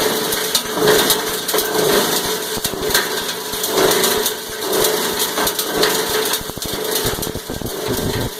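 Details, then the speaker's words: Cumberland 7.5 hp granulator, 12x12 cutting chamber, grinding about 10 lb of taped 3-conductor multi-strand copper wire with connectors: rough crunching chop, noisier while grinding, surging roughly once a second as wire tumbles; normal operation under load. "Alright, we ground about 10 pounds of wire. A little bit more noisy when it's grinding. And you can hear it surging as it's rolling it around."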